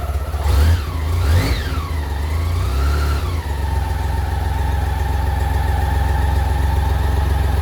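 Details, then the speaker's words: 1986 BMW K75C triple on half choke: a couple of quick blips, then a steady, even idle with no knocks or misses; rear wheel spins when cold, fuel pump hiss audible; normal. "That's on half a choke. Always does that. The back wheel always spins when it's a bit cold."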